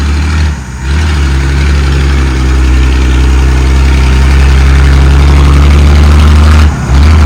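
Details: Ex-Australian Army International ACCO 6x6 truck with a Perkins 6354 six-cylinder diesel, driven after bleeding the fuel lines: deep heavy rumble staying even as it revs and pulls, short dip between throttle changes; normal running.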